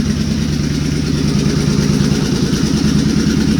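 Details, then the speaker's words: Suzuki Boulevard C50 V-twin after a new fuel injector and Cobra FI2000 fuel controller install; it had a slight idle miss before that now seems fixed: loud, steady idle with an even loping beat, no stumble or misfire; normal idle. "i was having a little bit of a miss while it was idling before this but i feel like this fixed that and i don't have any engine noise at all"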